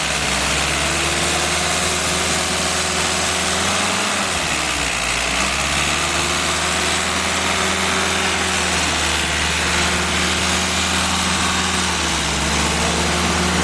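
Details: Freshly rebuilt Willys F134 four-cylinder (CJ3B project) with NOS tappets and timing gears, new pistons, bearings and valves, fired on a Pertronix coil setup: steady, even running with a fan droning behind, speed settling smoothly during break-in.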